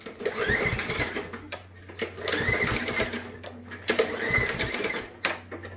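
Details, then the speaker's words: Nearly new Craftsman M110 push mower, Briggs & Stratton 140cc engine (model 09P7020243F1), fuel in tank: three rough rasping cord pulls, engine spins but never fires; pull-no-start condition. "you can see it's pretty much brand new but it's got the dreaded pull no start condition"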